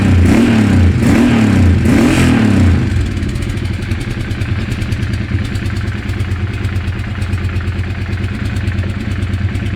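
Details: Weird engine sound: three quick blips, then a rough, clattery idle with regular tapping throughout, cause unclear.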